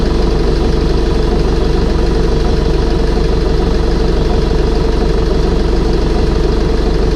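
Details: Air-cooled Deutz diesel rebuilt with new head gaskets, torqued heads, new fuel pump (fitting leak possibly unfixed): steady even diesel clatter at firm idle, no misses, knocks or hunting; running smoothly.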